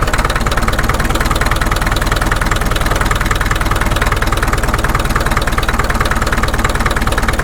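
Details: Caterpillar D2 (#5J1113) diesel at low idle on first start after full pony motor and diesel rebuilds, 30 psi oil pressure: slow even chug around four beats a second, deep steady rumble, hitting on all four cylinders, idling smoothly.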